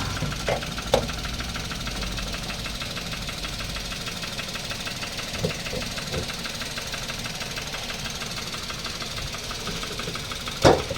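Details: Toyota Wigo 1.0 three-cylinder after driving through heavy rain flood: idle with light repetitive knock under uneven clatter and sharp bangs, from a bent connecting rod; engine to be opened.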